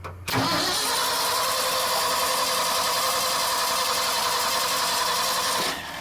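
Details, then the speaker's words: 1976 Ford F-600 dump truck with new Holley carburetor: engine fires right up and runs evenly about five seconds, then dies; getting fuel and spark, ignition switch or electrical issue suspected. "We think it has something to do with the ignition or something electrical, because it's getting fuel and spark. So. Fires right up and shuts right back off."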